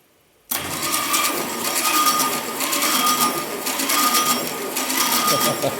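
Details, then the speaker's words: Free VW Bug engine cranked with a remote starter during a cylinder 1 compression test reading 32, powered from another car. Sluggish, laboring churning over a steady hiss; slow cranking, suspected from a stiff motor and a soft starter. "i know the motor turning kind of slow that's not great let's see mark that down 32."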